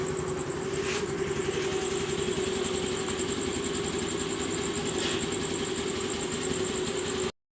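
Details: Scooter that would not start, now running: steady, even idle with a constant hum and no misses, knocks or rattles; normal idle.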